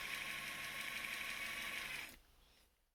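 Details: Traxxas TRX-4 Defender RC truck transmission before the fix: quick regular clicks, about three per second, over the motor's high whine, then everything winds down. The gearbox clicks because of excess play.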